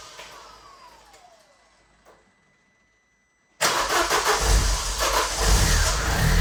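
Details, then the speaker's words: Vauxhall Zafira GSI Z20LET parked 7 years, on fresh fuel after some fiddling: it catches sharply, then settles into a steady, even idle. Cold-start idle is still raised and will drop below 1,000 rpm. Normal idle. "So, after a wee bit of jiggery-pokery as you can see, she's idling perfectly. Still in the cold start, but that will drop down to below 1,000 revs."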